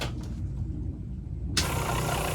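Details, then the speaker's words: RV water pump switched on, heard with door open: near quiet then a steady whirring hum switching on and holding evenly; pump working. "then you'll hear a noise. Okay, so you want the door open so that you can hear that noise. And if you hear that noise, then you know your water pump is working."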